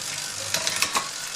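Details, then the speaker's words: Bicycle with a new chain after a 100-mile ride, replacing a dry, noisy old chain: a steady hissing chain whir with a quick cluster of light clicks as the shift snaps through crisply and faster, with less noise. "Really well, crisp shifting, I like it. And with less noise. And shifting gets done faster, like noticeably faster."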